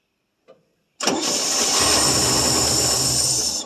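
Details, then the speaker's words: 1966 GMC half-ton, 250 inline-six, just restarted after about two years sitting: steady starter whir for about 2.5 seconds with no firing; cranking without spark because ignition dropped out. "Yeah, lost my ignition."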